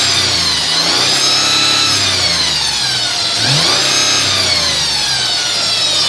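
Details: 2002 Mercedes ML320: a thin, high whine from under the car sits over the engine at idle and climbs and falls with engine speed; the source is unknown.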